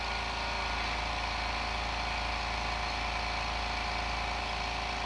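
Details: New airbrushing air compressor filling its tank to 45–50 psi with regulator turned down: steady even motor drone with a light regular pulse, no knocks or squeals; running normally.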